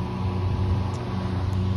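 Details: Variable-speed single-phase condenser fan motor (Liebert unit, Motor Master controller) with bad bearings: steady low hum with a rough droning rumble, before the motor is replaced.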